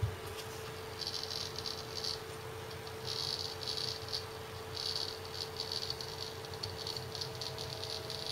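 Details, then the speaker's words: Seagate ST6000DX000 6TB 7200 RPM drive in enclosure during benchmark, gently moved; rapid irregular chattering ticks over steady hum, louder bursts when shaken; loud seeking under vibration, no performance change. "if I start moving it I'm being very gentle with the drive very little change but it does that he goes into this loud seek mode you notice no performance change"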